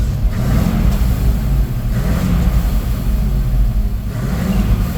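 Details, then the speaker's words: 1985 Ford F700 dump truck with a gasoline V8, 27,878 original miles, revved while locked in gear with the brake not releasing. A deep V8 rumble climbs and settles evenly with no knocks or misses; the engine sounds healthy. "motor sounds good and it's got only 27,878 original miles"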